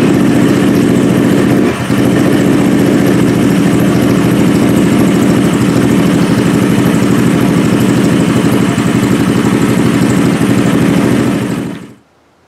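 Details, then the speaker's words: Carbureted 150cc four-stroke single, a Honda replica, running on gasoline to restore normal operation before a Seafoam test: a steady, fast, even idle with no misses, slightly rich, as noticed during the previous day's tuning. "that gas has cycled through the engine and through the carburetor it's running a little bit rich but I knew that from yesterday when tuning it that it was out running late"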